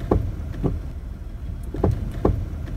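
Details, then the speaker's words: Front suspension creak mistaken for brake noise: short, dry, unevenly spaced creaks with the engine off from old, dry upper control arm bushings, fixed by lubricating with silicone spray rather than replacing parts. "que el problema no sea de frenos sino de suspensión una vez que detectas de qué lado proviene el ruido rechinido o el crujido"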